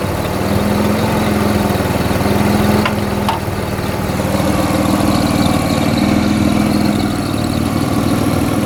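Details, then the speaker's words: Toyota Corolla drift car with a supercharged BMW M50B20, start on newly fitted B28 injectors: steady even idle with a low thrumming beat, no knocks or misses, running somewhat rich: normal idle. "Well, seems to run pretty well even with the B28 injectors. Definitely running richer on idle."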